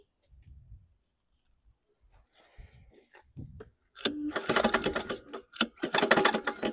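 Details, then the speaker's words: Junk mower engine cranks quietly, catches, then hammers with loud uneven bangs instead of running smoothly; some compression, nothing on plug; engine shot, owner suspects excessively loose connecting rod bearing binding. "maybe there's so much play in the connecting rod bearing that when you go to turn it backwards it's jamming up on itself you go backwards the connecting rod is so loose it's binding up"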